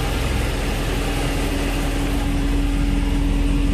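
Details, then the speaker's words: Porsche 944 (85.5 or newer) after idle adjustment with the idle stabilizer bypassed: smooth, even idle with steady low drone and constant hum, settled around 900–950 rpm, no stumble or hunting. "As you can see, I'm comfortable with it sitting right around, let's see here,"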